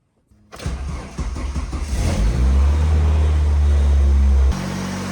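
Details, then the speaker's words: 1977 Ford Pinto Cruising Wagon with 2.3 swapped from a 93 Mustang; engine catches, revs, then hangs at an elevated idle after giving gas; owner shows idle air control valve issues and had messed with the throttle stop. "all right see how if you give it some gas it stays Ren too high"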